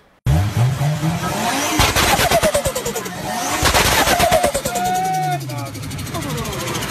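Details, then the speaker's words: Turbocharged engine with compressor surge (turbo flutter): a fast fluttering chatter, about three pulses a second, with a brief whistle as the throttle shuts. Higher air pressure and reduced airflow make the compressor blades chop the air, stressing the turbo and shortening its life. "so this sound is actually telling us what's happening inside the engine instead of grabbing onto the air and pushing it into the engine the compressor blades are actually chopping up the air"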